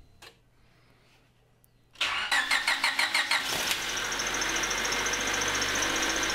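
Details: 2000 Honda HR-V, 1.6 VTEC D16W engine, bonnet open before repair: starter cranks with squeaky chirps, engine catches and a steady high-pitched squeal rides over idle; long-screeching power steering belt squeal, belt to be replaced.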